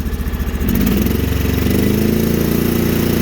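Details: Sears Suburban tractor-snowblower with a 20HP Briggs V-twin, cold in snow, on choke and running on crankcase fuel: lumpy, lopsided chugging at idle, firing on only one cylinder; a fouled spark plug was the likely cause.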